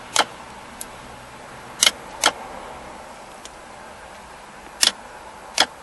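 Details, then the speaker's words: 2003–2009 Mazda 3 that won't shift from park: five sharp, irregular clicks as a power probe energizes the shift lock solenoid, proving it works; the brake pedal does not power it. "solenoid is clicking when I bring power into it so now we know that the solenoid is working properly"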